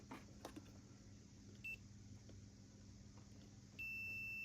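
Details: Korg Trident power supply fuse checked with a multimeter after the regulators showed no shorts: a clean, steady continuity beep holds for about a second, so the fuse is intact.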